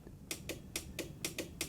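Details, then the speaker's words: Dumpster-found 12/24 V battery charger switched on: a clunk, then sharp dry clicks about four a second in uneven pairs as relays chatter; screen stays blank, likely why it was discarded. "Anyway, let's switch it on. Something went clunk inside. I can hear relays going."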